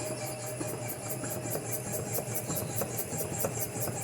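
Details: Chevrolet Cruze suspension knocking before parts replacement: repeated knocks and creaks about 1.5 times a second as the suspension works up and down. Cause suspected, not confirmed.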